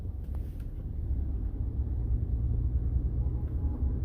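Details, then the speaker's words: 2015 Ford F150 EcoBoost Platinum test drive after IWE (integrated wheel end) replacement; only smooth low road rumble, no chatter or clicking from the front wheels where chatter previously appeared; normal drive, no wheel chatter. "so far so good normally by now i would already hear it chattering i don't hear anything yeah no chatter no nothing"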